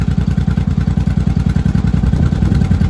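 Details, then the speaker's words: Barn-find 1983 Honda Shadow V-twin, warmed up with choke fully off, idle screw turned a quarter turn clockwise. Loping thump at about eleven pulses per second with an even, unbroken rhythm: normal idle. "That's actually idling pretty good. I think we're about warmed up, so I'm going to test that on the road."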